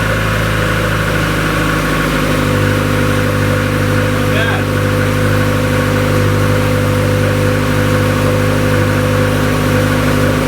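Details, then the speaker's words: 1999 Nissan Sentra GXE Limited Edition, first winter start at 30 degrees outside after sitting a while: even, steady cold-start idle that settles smoothly with no stumble, misfire or knock. The engine runs normally. "It is 30 degrees outside right now, and this car's been sitting for a while. It'll be fun to start it up and see how she starts in cold weather."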